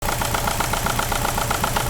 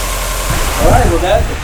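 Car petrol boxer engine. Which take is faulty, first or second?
first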